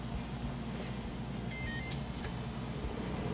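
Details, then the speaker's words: Engineless Toyota truck converted to electric HVAC, blower on vent only with AC off: steady airy rush with a low hum and a couple of faint chirps; normal blower operation. "So, there's the blower going. Oh, no. We don't have AC on currently. It's This is just vent."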